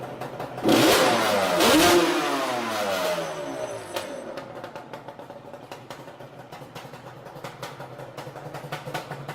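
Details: 2005 Yamaha Banshee two-stroke quad that misfires once warming to operating temperature: sharp blips rising cleanly and dropping to a crackly, uneven cold idle, throttle response crisp; spark plug was not the cause.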